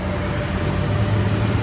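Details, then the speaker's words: Toyota Revo at idle with AC on, after oil was added to the noisy AC compressor instead of replacing it: a smooth, steady hum with no rattle or whine. The compressor noise is gone. "Tingnan na natin yung compressor. Oh 'di ba? Nawala na po yung ingay."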